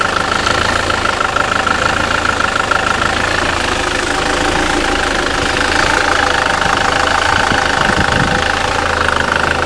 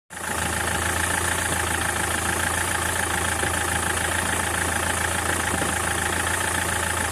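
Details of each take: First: 2007 SsangYong Kyron 141 hp diesel, manual gearbox, 200,000 km, after flywheel and clutch replacement: calm, even idle clatter with no heavy knock from the rear of the engine, then shuts off; normal idle. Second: SsangYong Kyron diesel: steady idle with uneven knocking about three times a second; worn dual-mass flywheel with excess play, to be replaced.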